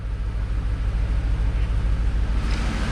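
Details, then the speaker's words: 2003 2500 HD 6.0 engine bought for its short block, test run: steady low thumping pulse about three beats a second, no clanging or knocking from the bottom end; fuel leak noted, possible miss from inadequate fuel pressure. "and we're not clanging and banging so woohoo"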